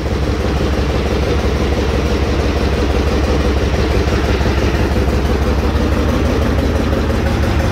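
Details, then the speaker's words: Chevrolet Trailblazer 5.3L after DOD/AFM delete, idling after partial re-welding of an exhaust pipe: fast even puffing tick over the low rumble, leak from the pipe joint, not the manifold; exhaust leak. "manifold leak. That's actually a pipe leak."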